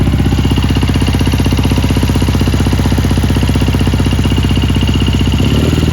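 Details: 1977 Triumph Bonneville T140 750cc twin, US import, 8,138 miles, kick-started and hot-wired without key: loud, even burble at steady idle, firing regularly with no knocks or rattles; engine runs sound.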